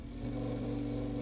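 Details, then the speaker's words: Lakewood HV-4 fan after repair of shipping-damaged motor whose rear bearing housing cracked, held with zip ties; steady low hum with rough buzzy edge, sounds horrible but runs without locking up; loose motor from cracked bearing carrier. "all right so after many zip ties and trial and error it still sounds horrible but it runs and it doesn't lock up"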